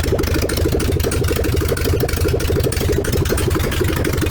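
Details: VW 1303S Beetle, rebuilt 1915cc air-cooled engine, first run after timing corrected, no exhaust fitted: loud crisp rapid even pulses, picking up cleanly on each blip; normal idle, runs smoothly.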